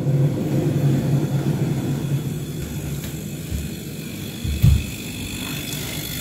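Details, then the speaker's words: LG inverter refrigerator after compressor replacement and timer modification: compressor on drawing 0.7 A, fan running; steady low rumble with faint even hum, no knocks or rattles. Normal compressor and fan running. "Kompresor nyala, angka nilai ampernya adalah 0,7."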